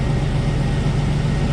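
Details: 2003 GMC Savana AWD 5.3L V8 that intermittently shuts off after about a mile, restarted after parts replacement and not confirmed fixed: steady, even low rumble with no misses, knocks or surging; normal idle.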